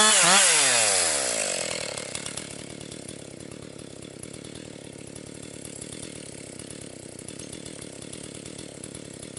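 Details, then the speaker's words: Rebuilt Husqvarna 262XP chainsaw, nearly broken in, really woke up over the last couple tanks with decent pull, bucking dry, dusty pine; high steady scream, pulling through the cut without bogging, crisp and strong; normal cutting. "And it's really woke up here this last couple tanks of gas here, so doing very good. Got decent pull."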